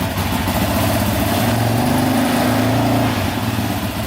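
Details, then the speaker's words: Stock Yamaha Raptor 700 special edition, starting on its battery before the first ride. The engine fires right up and settles into a steady, even idle with a smooth low beat, no misses and no smoke; it sounds healthy. "Alright, let's see if this battery can crank it over here. Fired right up, baby. No smoke yet. That's good."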